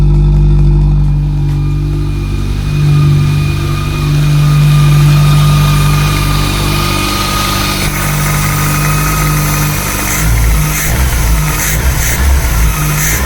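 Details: Volkswagen Polo with rebuilt Pierburg 2E carburettor, cold morning start, choke set by throttle tap: catches and settles into even, steady idle with light blip; carburettor running cleanly, normal cold start.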